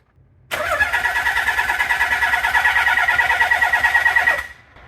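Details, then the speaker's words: Nissan 300ZX twin turbo manual swap, start attempt with new power transistor unit: steady cranking about three beats a second for four seconds, never catches; no spark despite plenty of fuel, new PTU didn't fix it. "uh long story short we didn't have spark went over the things tried a new PTU didn't work"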